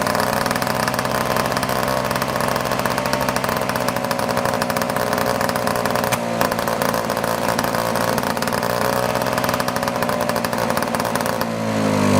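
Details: 1955 Messerschmitt KR175-2b small two-stroke, first start after 60 years of sitting, on the second try: buzzes steadily with a crisp ring-ding, picks up cleanly on throttle and holds speed.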